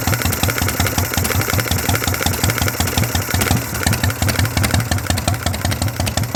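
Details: 1982 Harley shovelhead, first-crank start: loud, loping idle with sharp, even exhaust barks and no knocks or misses; normal, healthy V-twin idle.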